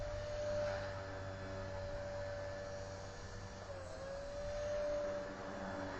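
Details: Walkera V400D02 RC helicopter with brushless motor, after replacing gear with chewed teeth, flying at lowered 3650 head speed: steady even motor whine with slight dips as throttle adjusted; running smooth and stable.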